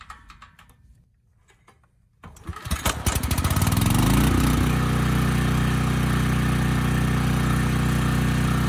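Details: Briggs and Stratton Storm Responder generator, bought as a parts machine, fuel line reconnected, started no-load to check about 61 Hz; pull-start catches within a second, settles smooth and steady with no hunting; governor later adjusted as running slightly fast; normal running.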